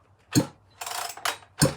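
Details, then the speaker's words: Chainsaw with ceramic bearings that came in with a lot of compression and is starting to loosen up; slow hand pulls give heavy, dull thuds on each compression stroke, showing strong, healthy compression. "It came to me with a lot of compression. It still has it. It's an interesting compression."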